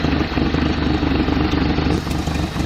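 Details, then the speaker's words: 1979 AMC Concord station wagon at a steady, even idle after the vacuum advance was hooked up, which added a few degrees of timing. It had been spitting and sputtering before. Exhaust is escaping at the manifold rather than out the back. Now a normal idle. "It sounds great right now. No exhaust even works back here. It's all up there popping out the manifold."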